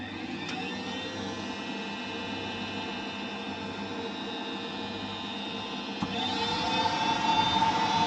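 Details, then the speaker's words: Ideal Logic gas boiler, reset with gas valve open: fan whirs steadily then speeds up, no spark click or lighting whoosh. Board not sending power to ignition electrodes; PCB fault suspected over ignition lead. "that's telling me we've got a board issue because the board's not sending the power to the electrons in order for them to spark and that's where the problem is"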